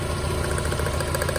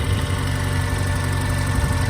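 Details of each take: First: Mazda Miata running on three cylinders at idle: a lumpy, uneven stumble and visible shaking. Cylinder 3 gives spark but is dead on a plug-pull test; a fuel injector that isn't firing (or a stuck valve) is suspected. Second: Mazda Miata that had been running on three cylinders, just after the bad fuel injector was replaced and before warm-up: steady, even idle rumble with no sputter. It runs normally, with a slight valve tick noted.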